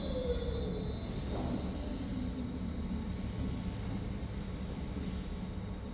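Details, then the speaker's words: New large lathe, spindle in low speed range, slowed by its motor rather than a foot brake: even low hum with faint steady whine, no knocks or rattles; running smoothly. "Nhưng với mâm cặp lớn như thế này, nó quay rất nhanh."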